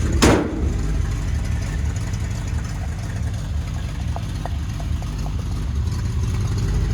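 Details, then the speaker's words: 1964 Chevrolet Impala SS V8, rebuilt drivetrain, low miles on motor: deep even idle rumble with faint sharp ticks; suspected exhaust leak, owner thinks at the manifold donut, not confirmed. "It does have an exhaust link, and we're going to check that out. Sounds like it's coming out of the what I call the donut."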